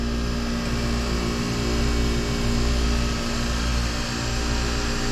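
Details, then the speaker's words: Water-cooled split-system refrigerator (pizza dough station) just restarted with condenser water reopened: smooth, constant compressor hum, no surging or chattering. Head pressure holding about 200, not climbing to 350 and tripping; running normally. "the process started but watch our head pressure look it's coming it's not that it's coming down but it's not going past three it's not going to 350 and shutting down we're at about 200 like I said we should be at about 200."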